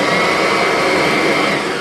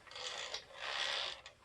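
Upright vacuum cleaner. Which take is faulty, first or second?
second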